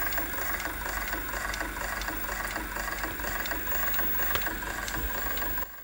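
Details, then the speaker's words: 1988 Sony SLV-353 VHS recorder during rewind: faint even ticking about twice a second over soft mechanical hum while tape turns; suspected capstan noise. "Something's not right. I think it might be the capstan actually. So, okay, let me have a look underneath. It's definitely a noise with the capstan as it's rotating."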